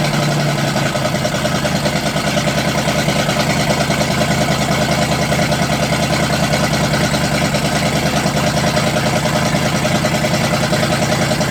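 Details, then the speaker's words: 1985 Oldsmobile Cutlass 307, first run in years with the choke not flipped and a possible vacuum leak: a low, loping, uneven idle that won't settle. Running rough. "now the question is can we get it to sit there and idle probably not oh"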